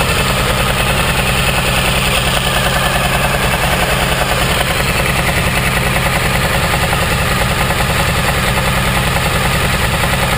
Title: 2014 dl1000 engine knock